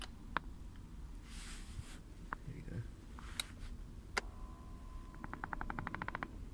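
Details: 2017 Toyota Kluger (Highlander) driver's seat, seat back already replaced once by Toyota: scattered sharp clicks then a quick run of about a dozen even pops when adjusting lumbar support; creaking seat mechanism persists.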